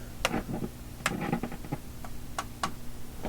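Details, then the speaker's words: Philips Sonate BA581A vacuum tube radio: irregular sharp crackles and pops at random over a low steady hum. The intermittent crackle is unresolved; the owner suspects two bad contacts or bad grounding between metal parts. "i think it's just two contacts that are bad and these are bad right i mean this radio is not working properly"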